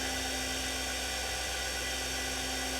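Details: TurnCrafter Commander 12 lathe after control board repair with a bad MOSFET replaced, not bolted down, so some vibration; roughly 3800 rpm. Smooth, constant high-pitched motor whine with light hum, no grinding or bearing rasp. Normal high-speed run.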